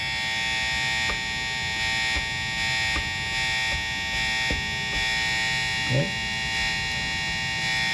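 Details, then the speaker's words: 1970 Fender Telecaster Thinline played through an amp: steady high-pitched buzz without letup, because the steel bridge plate and bridge system have no ground wire. Ground hum from an ungrounded bridge. "This is not grounded properly, and I'll show you why. What you'll notice is this steel plate and bridge system has no ground wire."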